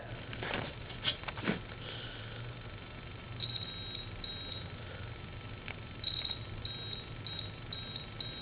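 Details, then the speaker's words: Fish telephone transistor tested on the bench with a multimeter in continuity mode: short high-pitched meter beeps over quiet hum; continuity between two leads, and the checker needle shoots fully over, so the transistor is a dead short. "that's a dead short basically so that that transistor is a dead short"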